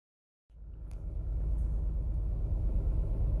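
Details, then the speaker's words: 2008 Toyota Sienna 3.5L 2GR-FE V6 starting and idling with a deep, uneven, lumpy rumble and excessive vibration, dash lights on; code shows ignition coil B out (P0352). "all right we got some lights lit up on the dash this engine is running rough it is vibrating excessively"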